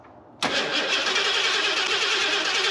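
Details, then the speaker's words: Ford F250, bought cheaply after sitting disassembled for several years; new ECU installed, timing off a lot. Starter cranks at an even, rapid churn over two seconds with no firing: crank, no start, fuel present but no injector pulse; harness suspected. "Well, so we have fuel. Injectors are still not firing for some reason."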